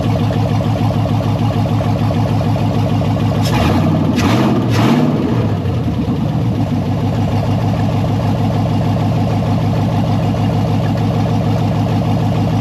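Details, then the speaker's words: Jeep Cherokee with LS V8 swap, first start-up after wiring fuel pump and fan relays: smooth, even V8 idle burble, three quick throttle blips dropping cleanly back to steady idle; sounds healthy, gauges and tach work, alternator not spinning yet. "Sounds healthy. Gauges seem to work. Tack works."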